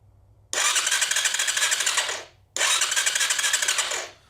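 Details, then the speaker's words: 2020 Chinese Apollo 250cc dirt bike after rewiring key switch (four green wires joined): electric starter now cranks, two fast even bursts about 1.5 seconds each, no catch; spark present but gas tank removed, no fuel, so no start. "So if I turn the switch on, and the big button has to be up, now it turns over by itself."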